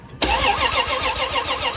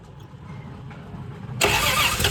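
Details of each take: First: 1978 Plymouth Volare wagon that sat in a junkyard for 4 years, after a bad ground in the ignition wiring was fixed: the starter cranks the engine normally with a quick, even churn of compression pulses and no firing yet. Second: 1978/79 Plymouth Volare wagon, out of a junkyard after four years: starter churns quickly and evenly for about five seconds, almost catching but never running; the distributor cap isn't seated all the way and won't sit.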